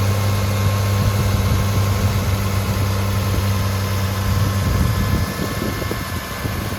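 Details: 1998 Toyota 4Runner (3rd gen), 253,000 miles, needing motor work, smokes at startup, leaking valve cover gaskets oiling the manifolds: low deep idle with slightly uneven lope and irregular stumble before shutoff, like a misfire; cause unconfirmed.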